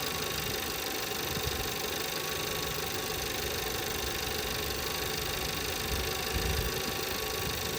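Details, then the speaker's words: 2017 Volkswagen Passat 1.8 that misfired on all cylinders after a few minutes running, idling after replacing the camshaft adjustment (variable timing) solenoid: steady, even idle with no stumbles or skips and no check-engine light; misfire resolved so far. "so far so good SK no check engine line or yet pry good pretty good pretty good pretty good"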